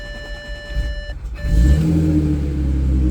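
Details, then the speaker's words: 2012 Audi A6 3.0T (C7), just after low-pressure fuel pump replacement for a warning code: short crank after priming, engine catches cleanly and settles to a steady even idle, normal start. "all right now we're going to start it 'll take a little minute for the pressurize"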